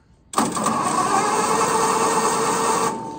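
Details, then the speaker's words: Case VAI engine cranked with spark plugs removed, no compression: starter spins the engine fast and evenly for about two and a half seconds with no drag or binding; turns over freely. "she turns over"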